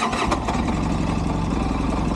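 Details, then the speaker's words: 2012 Polaris RZR 800S engine at idle: even, steady low idle with a regular pulse and no knocking, sounding normal. The owner hears valve tapping when revved to mid-range and plans a teardown. Normal idle. "that's pretty normal that's kind of what it normally sounds like"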